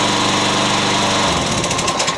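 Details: Yard Machines auto-choke lawnmower that would not start, after gas was added: the small single-cylinder engine runs with a fast, even buzz and no misses or surging, then winds down. It is running properly.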